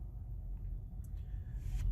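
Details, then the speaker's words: 2017 Honda Accord EX at idle during a cylinder drop test using the Autel AP200 injector stop function. With cylinder 4 cut, the idle rumble becomes uneven and rpm drops, showing that cylinder is working and is not the misfiring one. "what you're really looking out for here is any cylinder that you drop and there's no noticeable effect that's your problem cylinder so i'll say okay all cylinders back up let's drop cylinder four"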